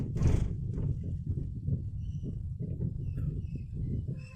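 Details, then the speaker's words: Suzuki Ertiga automatic driven over a speed bump, recorded in the cabin: dull low "kluk" knocks from worn front suspension, also heard along rough roads. Fixed by replacing CV joint boots, stabilizer links and shock supports. "Suaranya itu ada suara kluk kluk kluk kluk kluk kluk kluk gitu sepanjang jalan itu, Sobat. Jadi tidak hanya saat kita terkena polisi tidur ya."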